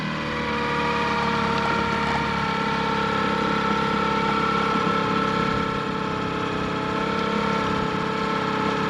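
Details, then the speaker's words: Sailboat outboard, tested at the dock with the lines still attached: it idles with an uneven, lumpy beat instead of its usual clean run. The owner suspects a spark plug issue or fuel starvation. Cause unconfirmed. "That doesn't sound right to me. Normally it runs pretty clear and I've still got the lines attached, and normally I can just test it in forward and reverse before backing out, and it goes between them without a problem."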